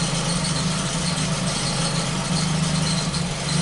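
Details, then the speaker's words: Ford Focus at idle after a faulty sensor was replaced: a low rumble with a lumpy, uneven beat and occasional stumbles; the intermittent misfire is still present, though less frequent than before. "so it sounds like we have two problems here this sucks there's a misfire here let's see what happens here"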